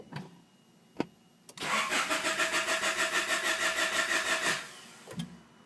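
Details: Honda H22A engine: starter turns it over steadily about three times a second for three seconds, but it never catches; crank, no start.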